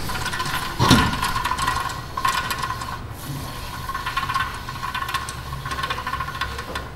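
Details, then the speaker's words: 2014 Toyota Prius, rear: hand-spun wheel hub gives a gritty, scratchy rattle over a thin ringing tone, from a rough, rusty wheel bearing with debris inside; unheard earlier with tires on over noisy brakes. "you can hear crap inside that bearing so I couldn't hear anything with the tires on originally spinning it cuz the brakes were so noisy"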